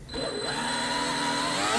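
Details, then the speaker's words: Twin brushless RC boat (TFL Zonda) on 6S, first spool-up on bench with brand new .187 flex cables and brass stuffing tubes, freshly greased; thin high whine climbs smoothly, no grinding or rattle, inside stuffing tubes barely warm; normal spin-up. "First time it's being spooled up, so it may need to to wear itself in. Brand new flex cable. Brand new brass stuffing tubes."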